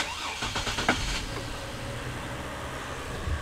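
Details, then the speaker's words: 2004 GMC Envoy after replacing the cylinder 4 ignition coil for a P0300/P0304 misfire: a few cranking pulses, clean start, then smooth even idle with no stumble or skip, exhaust sounding normal with no check engine light; normal start and idle. "all right so the engine sounds good now another thing we can do is we can take a listen to the exhaust so the sweet hum of that factory exhaust sounds pretty good i don't hear anything out of the ordinary with that"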